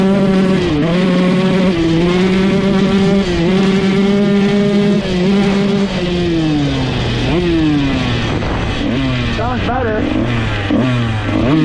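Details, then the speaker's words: 2001 Honda CR125 two-stroke after rebuilt top end and main jet changed from 380 to 370, full throttle: crisp wail revs out cleanly and stays consistent with no top-end breakup; carburetion healthy. "So, when you gun it full throttle, you can watch in the GoPro footage, it actually revs out all the way and stays consistent throughout."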